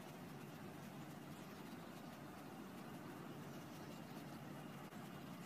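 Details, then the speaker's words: Pool leak detection, hydrophone/transducer sent up the pool cleaner line; steady, even rushing hiss with no rhythm, a very loud noise marking a leak in the cleaner line, to be confirmed with dye. "and yes we have a lake over here we're going to show that on the video right after"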